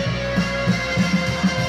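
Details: Technical Pro stereo amplifier after repair of dead speaker terminals, both left and right channels tested on speakers: music comes through clean and full with no hum, crackle or dropouts; output working properly.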